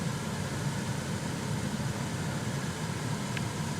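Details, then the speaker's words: Chevrolet Silverado cabin blower after repair: a smooth, steady rush of air over a soft low hum, running quietly and normally; the humming was fixed by cleaning out debris and changing the cabin air filter, with a gasket still missing. "We got lucky on this one. All it took was cleaning out the debris and changing the air filter on this thing. It is quiet as heck right now."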